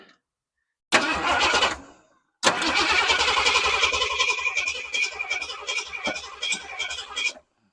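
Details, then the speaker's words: 1968 Ford F100 after sitting over 5 years, fresh Holley carburetor and battery: two bursts of even starter cranking that never catch; engine turns over fine but fuel pump delivers no fuel, crank no start. "Yep, do not see any fuel coming out here."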